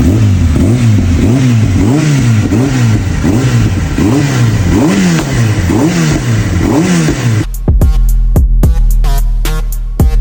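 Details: Kawasaki ZX-10R after service fixing its stalling-at-idle issue, new fork oil seals and EBC brake pads: four-cylinder throttle blips in steady rises and falls, crisp even revs with no stumbling, then music.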